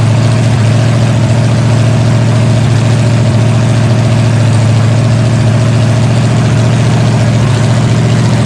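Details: Freshly rebuilt 454 Chevy big block V8 with new pistons, from a 1973 Chevelle SS 4-speed, on a break-in stand after break-in: deep steady rumble with even firing pulses, no knocks or ticks; running cleanly, normal, with fine tuning still to do.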